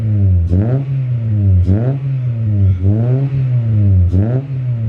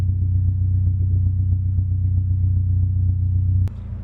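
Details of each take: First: H22A4 Honda Prelude with low, rough idle (about 400 rpm); right after throttle body cleaning, idle surges and sags roughly once a second in an uneven hunt as cleaner burns off, smoking; should smooth out within minutes. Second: H22A4 Honda Prelude after throttle body cleaning and new K&N pod filter intake cured low (about 400 rpm) rough idle: deep, even rumble holding steady with no hunting or stumble, idling properly; normal running.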